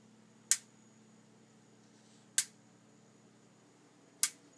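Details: Stove in a quiet kitchen: sharp single snapping ticks roughly every two seconds; owner suspects the electronic ignition sparking on its own, unconfirmed.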